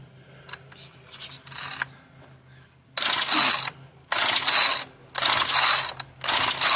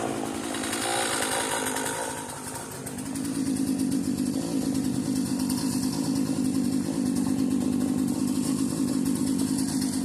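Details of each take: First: Marketplace-find two-stroke machine that earlier ran rough and died, given extra lubrication: four rough, rasping pull-cord strokes, each about a second, with no firing at all. The owner judges it parts-only. Cranks but won't start; cause unknown. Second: Cheap modern Poulan Pro chainsaw, set down and left running on old tank fuel: after a brief dip it settles into an even, buzzy two-stroke idle without stalling or hunting. A carb rebuild was expected but not needed. Normal idle.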